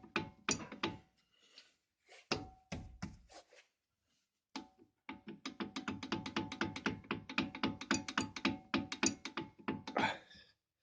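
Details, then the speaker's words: Opel Astra J brake calipers after dealer warranty replacement with new brackets: bursts of quick hollow metallic clatter in uneven runs, the calipers still rattle as before. "так брякает суппорт после замены у дилера типа новые скобы должны устранить фиг вам фиг нам как гремела так и осталось"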